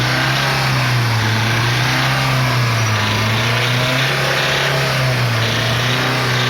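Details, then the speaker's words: Chevrolet Celta VHC-E engine, struggling to rev: rough uneven running with dull knocking and wavering pitch from internal clearances, worn rod and main bearings and pistons, attributed mainly to missed oil changes; engine to be fully rebuilt. "então eu espero que vocês tenham conseguido ouvir esse barulho que tá aqui fazendo Esse motor esses barulhos Eles são de folgas internas bronzina de biela bronzina de mancal pistões isso por vários motivos né"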